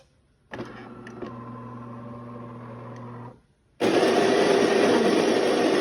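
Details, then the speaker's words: DeLonghi fully automatic coffee machine grinding beans: steady low whirring hum for about three seconds, then a loud even rushing hiss; normal grinder sound, not the fault. "是很正常的磨豆的声音。"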